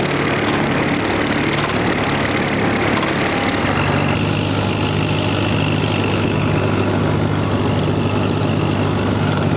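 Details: Mower engine after fuel draw problem that caused poor running under load was fixed and very low fluids refilled: steady, even drone at one speed with no misses, hunting or sputter; normal running.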